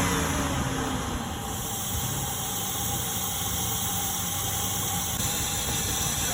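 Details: 2003 Ford F-150 petrol V8 idling roughly under a loud steady hiss from a bad vacuum leak at the intake manifold, with misfire.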